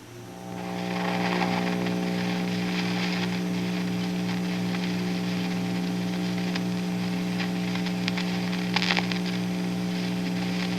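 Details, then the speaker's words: Vintage Gibson BR-9 tube guitar amp with new-old-stock GE 6V6 power tubes, idling: steady hum with static, crunchy crackle and pops. Tapping the tubes doesn't excite the noise; Electro-Harmonix 6V6GTs are tried next. "all right we have this Gibson br9 amplifier with a pair of New Old Stock GE 6v6s installed and this amp is suffering from noise that static crunchy popping that you hear let's take a listen to it"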